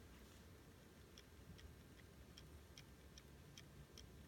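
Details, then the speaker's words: Quartex Q-80 quartz clock movement retrofitted with a Crazy Clock controller board; after soldering, a battery is fitted and faint, crisp ticks come about every 0.4 s in the firmware's pattern, confirming the movement runs and ticks properly. "you can hear the pattern of the ticking of the firmware when you put a battery in and if that works then you know it's good"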